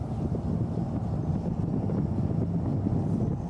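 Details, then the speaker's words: Truck driven after a trailer-related rear driveline failure was repaired, including the carrier bearing, heard from the truck bed: smooth steady tyre and road rumble with no whine or howl; rear axle quiet. "sounds good it sounds pretty quiet all I can hear is tires dude"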